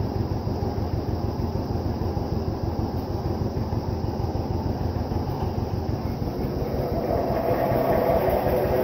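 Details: Vintage John Deere 720 two-cylinder diesel tractor after head gasket repair: slow, regular thumping about three beats a second, picking up near the end; running evenly.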